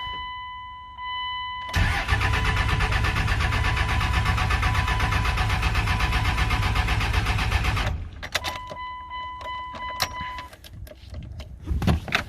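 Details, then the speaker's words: 1999 Dodge Cummins 24-valve diesel, 304,000 miles, sat 2–3 years, injector lines cracked to bleed, factory lift pump: about six seconds of steady cranking without catching; crank no start, no fuel reaching injectors. "These factory lift pumps just really aren't that good. I think they only run when you're cranking or something like that."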